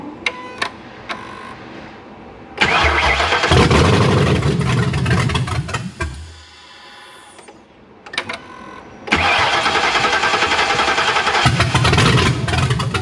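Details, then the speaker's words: 2009 Ford Crown Vic with 7.3L Godzilla swap, MAF sensor connected, O2 sensors unplugged, no exhaust fitted: catches, runs rough about three seconds, dies, re-cranks and fires again. Won't keep running; cause suspected, not confirmed. "That's interesting. With the MAF sensor, it doesn't even want to stay running."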